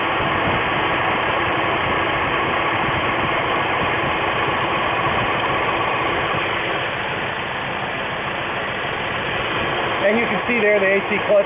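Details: 2000 VW Mk4 at idle with AC clutch engaged, being tested for a faulty AC pressure sensor falsely reporting overpressure: even, steady hum with no rattle, squeal or clutch chatter; compressor running normally.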